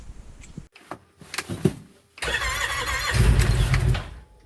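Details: Cold start of a Wolverine X2/X4 850 side-by-side in snowy northern Michigan at 2200 miles on NGK plugs: starter cranks in short bursts, engine catches, runs about two seconds, then dies. Known cold-start stall; owner trying iridium plugs as a fix.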